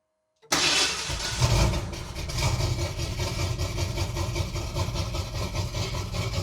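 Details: 1978 Ford Bronco revived after decades sitting, first start after priming fuel, choke then no choke, engine still cold (temperature gauge not yet moved): catches right away into a deep, lumpy, loud V8 burble; runs well, exhaust pipes way too loud.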